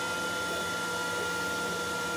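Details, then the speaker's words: Glowforge laser cutter with draft board, running on its own built-in exhaust fan before an external fan was added: loud steady fan roar with fixed whining tones and no speed change; excessive exhaust fan noise. "this is glowforge with the draft board in it and running with its own fan and we'll push magic button spit into this sound that sound is mostly fan"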